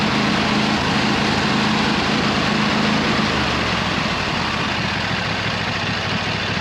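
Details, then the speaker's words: 26 HP Kohler V-twin lawn tractor just after brand-new original-equipment Kohler ignition coils replaced cheap aftermarket ones. It runs with a steady, even low beat and no stumbles or popping: much improved and running well, though not quite perfect. "so it's still not perfect it's running really good compared to what it was originally but it's pretty good for now it's pretty good"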